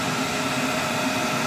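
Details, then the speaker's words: Dunkirk boiler with added fan relay, pressure switch made and burner fired through its limits: steady even roar with faint low hum, no surging, rumble or cutting out; normal burner operation. "So once pressure switch is made, provides power to here, and then the burner starts up, but it goes through all its limits."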